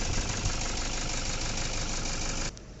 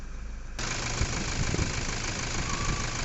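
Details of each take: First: Toyota Fortuner diesel idling rough with an uneven knock and engine shaking; scan shows injector circuit open, traced to broken injector wiring, one injector not firing; wiring to be repaired. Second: Toyota Fortuner diesel after repair of a knocking noise with a pickup problem and scanner fault code; diesel checked for water and injectors inspected: steady, even idle with no knocking above normal clatter, now quiet.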